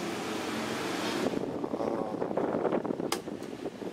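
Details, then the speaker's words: Desk fan repaired after a no-power fault, thermal fuse checked with a multimeter, plugged in and switched on: strong, steady airy rush at higher speed, no motor rubbing, some handling clatter; normal running. "Colokkan, kita nyalakan. Nah, sip ya. Oh, kenceng banget"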